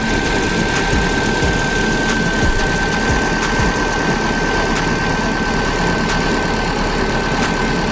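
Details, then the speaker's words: Freshly rebuilt engine on a turbocharged Subaru Baja at its first start, warming up with the heater on while coolant is bled: steady, even idle with a faint constant high whine and no knocks or misses; normal warm-up idle. "I'm gonna let it. It's coming up to temperature. I'm gonna make sure the heater's blowing hot."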